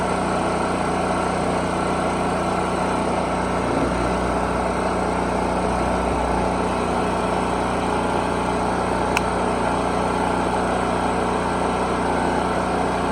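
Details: 4375/3500 running-watt generator serviced after storage since last winter, choke start: small engine holds a steady, even drone with no surging or hunting over the whole run. It runs healthy.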